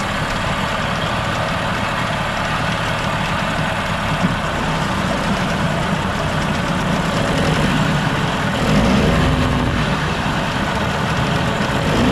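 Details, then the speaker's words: 1987 Mercury 8 hp outboard, newly purchased, before carb cleaning: steady even two-stroke buzz without stumbling or surging, runs pretty good; hard to rev to full throttle due to combined throttle/shift mechanism; normal running. "sounds like it runs pretty good so I'm not sure what the guy was talking about"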